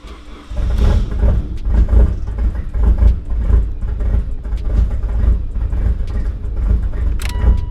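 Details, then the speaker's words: First start of a freshly completed Mitsubishi Evo X on an old tune with larger injectors and an adjustable fuel pressure regulator: deep lumpy exhaust rumble swelling and sagging unevenly, owner expected fuel spitting from the exhaust; rough running, likely fueling mismatch. "I highly doubt what's gonna start it might start a little bit I didn't get a run though it's not gonna run all that good it's gonna be spitting fuel out the exhaust"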